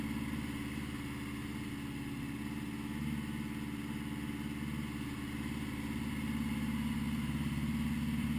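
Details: 1980 Honda GL1100 after a rebuild, slightly cold start at 54 degrees, carbs synchronised; smooth regular flat-four beat at idle, rising gently with a little throttle, no hunting or stumble: normal idle.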